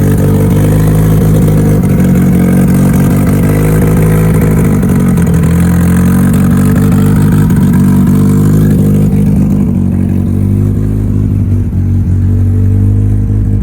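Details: Mitsubishi Evo before dyno prep, cold engine, first start of the day after installing both fuel pumps as the fix; steady strong low-pitched note, even pulse, no misses or knocks. Normal running after fuel pump repair.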